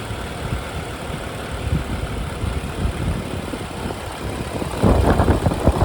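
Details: 2011 BMW 535i F10 N55 engine, about 109,400 miles, at idle: steady healthy idle with quick light ticking, normal loud direct injectors; no timing chain noise.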